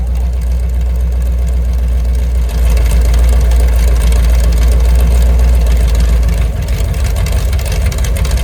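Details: Mopar 383 V8, mufflers off, about 900 rpm idle: loud, even open-exhaust rumble rising slightly with a light blip and settling back. No valvetrain ticking or knocking, healthy idle.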